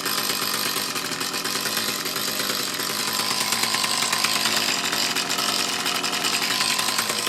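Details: Mantis tiller with two-stroke Kioritz Echo engine, after cleaning around carburetor and fuel lines to cure bogging under load; buzzy, steady even note without stumbling or surging, running cleanly.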